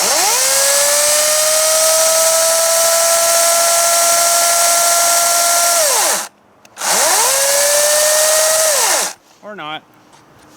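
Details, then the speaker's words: 60V battery chainsaw after cutting a 16-inch log; winds up to a steady high whine, holds, then spins down twice, tone slightly strained; owner thinks the chain sounds way too tight and is unsure it is oiling. "I think that did pretty good actually kind of sounds like it's way too tight though"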